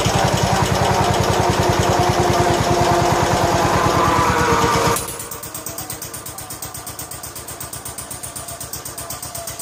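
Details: 1969 John Deere 140 H1 on a new carburetor, running after a cold start: an even single-cylinder thump at fast idle, then a quieter, slower, unbroken beat, quiet and smooth. Normal running.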